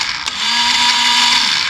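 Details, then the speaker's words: 1985 Yamaha Moto 4 ATV: high, smooth starter whir with no engine cranking; starter spins freely, owner suspects the starter gear is not engaging. "There you go. So that's working. Sounds like we have an issue with the starter gear not catching."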